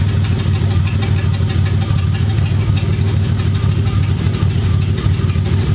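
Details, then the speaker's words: BMW E30 first start-up on open headers only with burble tune, full exhaust not yet fitted: loud deep raspy rumble holding fairly steady, light overrun crackle, little burble this time; normal running with open headers. "I don't want to annoy my neighbors too much because this thing is loud as it is. I'm waiting to put the complete exhaust on."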